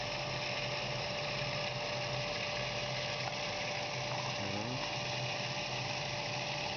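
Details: Pump cavitation: harsh gravelly crackle over a steady pump hum with a faint fixed tone.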